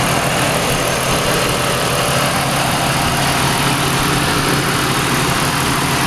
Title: Engine Knock Gone